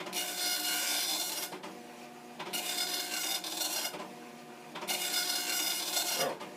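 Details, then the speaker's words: Commodore NX-1000C multi-font dot matrix printer, version 1.3, self-test through fonts and styles, started by holding paper feed at power-on: rasping print-line bursts with short gaps for line feeds, even and consistent throughout; printer working normally, ribbon good, pins firing. "So, for the moment, this does seem to be happily printing."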